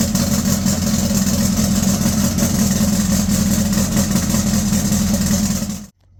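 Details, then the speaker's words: 2332cc turbocharged air-cooled VW with four-barrel Fitech fuel injection, cold start at 73° intake temperature: catches, runs rough with idle sagging as if to die, then catches itself; owner suspects it needs more fuel at start. "You heard it start up, go, and then like start to die down, and then it catched itself there. Sounds like it needs a little bit more fuel there."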